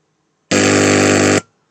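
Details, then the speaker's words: Pioneer GM-X602 car audio amplifier on bench test with small test speaker and RCA connected, lights not on, relay clicks; loud harsh buzz about a second at switch-on; two capacitors found desoldered, maybe not sole cause; loud buzzing at power-on. "J'ai vu quelque chose, donc ces deux condensateurs, ils bougent complètement, ils bougent. Ils sont complètement dessoudés en fait."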